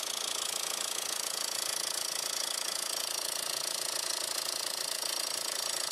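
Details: 2002 VW Jetta 1.8T at idle, shop blamed the turbo: even metallic clatter of about two or three per second; the turbo is quiet through a screwdriver stethoscope, and with the serpentine belt off the noise persists at the front, suspected inside the timing cover.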